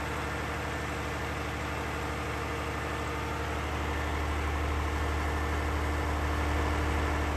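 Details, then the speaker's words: Air-cooled 109.5HP Lister diesel backup generator, roughly 100kVA, on its monthly check start: loud, even diesel thrum at about three beats a second under a constant fan roar, with no knocks or hunting; running healthy. "all right so walked away from it now because it is so loud can't hear myself think"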